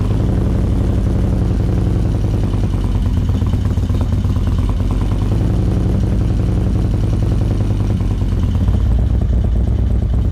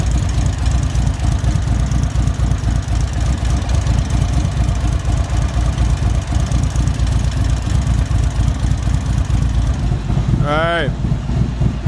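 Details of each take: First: 2024 Indian Roadmaster, ThunderStroke 116 V-twin, just after Lloydz 585 cam install, before ECU flash: loud lumpy idle with fast constant clacking valve-train noise. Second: 2024 Indian Roadmaster ThunderStroke 116 with Lloydz 585 cam, idling at operating temperature with oil pressure up: steady loping V-twin idle with no top-end ticking. The earlier bled-down lifter noise is gone.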